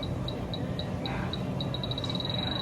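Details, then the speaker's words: Refrigerant leak detector (H10) probing discharge air under a refrigerated case's coils: high chirps speed up into a rapid run, signalling refrigerant; a second detector (Stratus) missed it; leak inside the case. "Well, that settles that. We have a leak in there, and unfortunately, the Stratus didn't pick it up."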